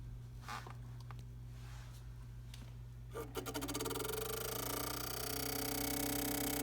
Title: Tacx Neo Smart clicking sound